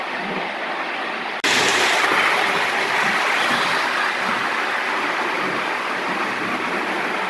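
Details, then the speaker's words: Lionel gunmetal 1666E locomotive with heavy whistle tender, run alongside an older loco pulling passenger cars: even whirring rumble with soft steady rail clatter, no catches or grinding; runs smoothly. "all right I think they run pretty good um that really smooth R runs really good P's pretty good too"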